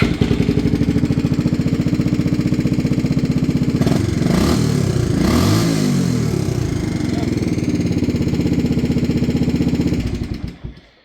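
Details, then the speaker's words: 1986/87 Honda 350D single-cylinder ATV, after battery replacement and fuel pump fix, running after sitting: steady thump near four beats per second with light mechanical rattle; cam chain tensioner noise, needs new tensioner. "so yeah now it runs good uh ignore that noise it needs a new uh chain tensioner"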